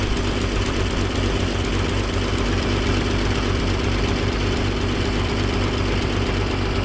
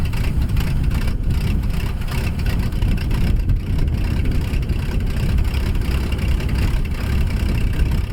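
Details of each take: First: 1957 Dodge D500 1.5-ton ex-military truck first started after years sitting, cold with choke on, carburetor frosting; rough puffing idle with harsh raspy chuff on every beat, a very large exhaust leak. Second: 1957 Dodge D500 1.5-ton ex-military truck that sat on a farm for years, firing for the first time. A low, rough rumble holds steadily as the engine runs on its own.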